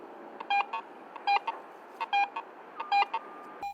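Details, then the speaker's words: Garrett AT Pro metal detector in Pro mode: tone roll audio gives short paired beeps about once a second as the coil sweeps, pitch shifting slightly with target conductivity; the detector is responding normally. "Another feature called tone roll audio allows you to hear changes in the target's conductivity as the coil passes over."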